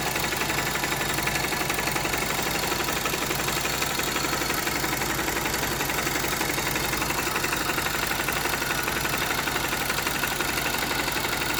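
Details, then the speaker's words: Honda GL Max Neotech single-cylinder motorcycle engine at idle before teardown, owner complaint of rough noise: busy fast ticking clatter across top end, head and clutch area; timing chain and rocker arm noise from stiff chain and worn rocker. "Nah, itu dia bisa teman-teman dengar sendiri suara mesinnya kasar ya, terutama di bagian head dan bagian kopling."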